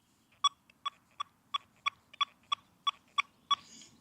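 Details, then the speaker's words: XP Deus II metal detector iron settings at a high recovery speed, quick run of sharp, evenly spaced beeps, about three per second, cleanly separated over nail targets; fast target response. "See how fast that is."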